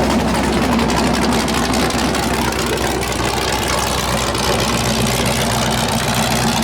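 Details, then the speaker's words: 408 LS stroker V8 on first start after build: loud, deep, choppy idle loping about four beats a second with an uneven rhythm; normal big-cam idle, air-fuel around 13.3, possibly a touch lean. "How's it sound so far? It's gonna sound like the boat. Holy cow."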